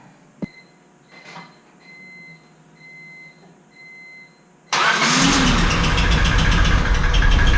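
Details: Rebuilt Honda Civic Si engine after a new ignition coil was fitted, first start, no coolant yet: a few soft chimes, then it catches instantly, runs a little rough at first and settles into a steady, even idle.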